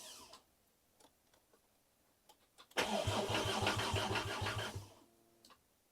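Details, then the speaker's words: Mk2 VW GTI with swapped 5-cylinder engine, first start attempt: starter cranks with a fast, loud regular knock, three or four a second, without catching; owner suspects the flywheel; engine was getting no fuel. "see that doesn't sound good it's like knocking really loud kind of sounds like it's coming from the flywheel though"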